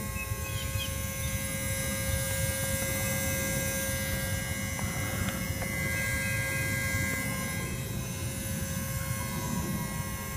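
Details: 2003 VW Jetta VR6, engine off after driving to temperature, parked: steady thin mid-pitched electrical buzz near firewall starts shortly after, intermittent, killing new battery; owner suspects relay; dealership replaced ECM, power drain and grounds checked, cause unconfirmed.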